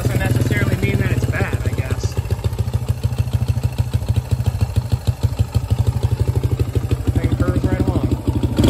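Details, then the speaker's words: 2005 Suzuki DR-Z125 air-cooled four-stroke single at idle after adjusting the spring-loaded cam chain tensioner: quick ticking clatter over the exhaust beat, quieter than before but still present; loose cam chain. "I don't know if you guys will be able to hear it but still a little bit of clatter but it is a lot wider than it was said little bike runs perfect"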